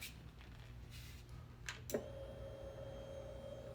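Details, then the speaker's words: 2020 Yamaha Raptor 700R SE after fuel pump replacement, with a blown EFI fuse suspected as the cause of the no-start. At key-on a light click is followed by a steady mid-pitched hum, which was missing before: normal fuel pump prime. "so if you come over here now when I turn it on that hum I was telling you about listen"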